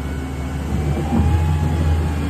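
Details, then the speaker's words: Jasper 4.3 V6 boat engine on a load test; the carburetor acted up slightly earlier. A deep, steady drone climbs as throttle comes up, pulling evenly with no misses or knocks, oil pressure 120: normal running under load. "sounds like it's got plenty of power little more there it is look at your gauges 120 oil pressure"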